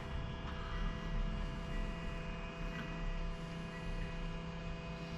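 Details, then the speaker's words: Honda Accord 2.2 i-DTEC diesel, ignition on, engine off after fuel filter replacement: quiet steady electric hum of the pre-pump priming and filling the new filter, no manual bleeding needed; normal fuel pump priming before start. "but nethertheless we have to still prime it with the g c the G on you can hear the pump going off"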